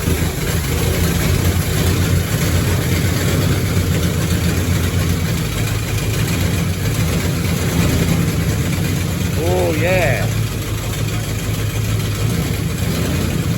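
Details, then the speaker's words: 1969 Ford Galaxie XL GT convertible, factory 429 V8 with 4-speed manual, first start after project work: big V8 idles with an uneven, loping beat and dead gaps in the firing, likely running on six and two half cylinders; misfire. "Actually, it's not on the cylinders. It's not. How many do you reckon? Seven. Six. It's It's probably running on It might be running on six and two half cylinders, right?"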